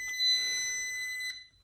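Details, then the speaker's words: Flood-damaged Porsche 968 cabriolet starter motor bench-tested with a jump box bridged by screwdriver: starter does nothing while the jump pack gives a steady high-pitched beep just over a second warning of a short circuit; starter concluded dead. "Switched on. See what we can do. Nothing. Yeah, it's complaining about a short circuit."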